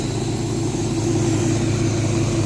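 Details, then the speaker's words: 1967 Chevelle V8 backdated to an original points distributor with Mallory wires and Accel coil, timing set at 6° initial and 38° total: steady, even idle with a smooth low rumble and no misses; runs well. "seems to run pretty good when it's like that so that distributor around"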